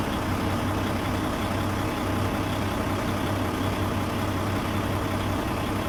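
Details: PACCAR MX13 diesel after injector 2 repair, started after a 30-mile test drive with no active codes: settles into a low, even rumble with no misses, knocks or surges; healthy idle.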